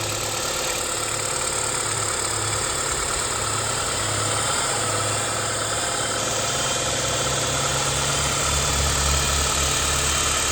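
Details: BMW E87 idling after its tensioner was changed: a light, fast rattle of about three beats a second rides on the steady engine run.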